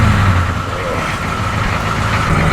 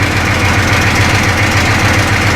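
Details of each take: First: 1985 M1028 CUCV with a GM 6.2L diesel, just fitted with a custom two-into-one 3-inch exhaust and a 3"x24" free-flow muffler: a deep, steady idle with a low, even burble and no rattles. Normal idle. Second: 1985 M1028 CUCV (militarized K30) with GM 6.2L diesel at steady idle: a metallic rattle at about seven beats a second in step with the firing, from loose exhaust brackets with the exhaust hanging crooked and low, to be fixed.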